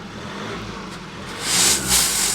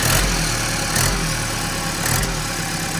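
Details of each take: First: Ex-fleet Ford Transit diesel with DPF and a slightly weak battery: steady idle and two clean, free revs with no bogging and no exhaust blows; DPF not blocked and no warning lights, so it runs normally. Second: Ex-fleet Ford Transit diesel, 127,000 on the clock, idling: sharp puffing tick on every firing pulse over the clatter; judged not the turbo but a blow at the engine-to-exhaust-manifold joint, same issue on all the vans; turbo to come off.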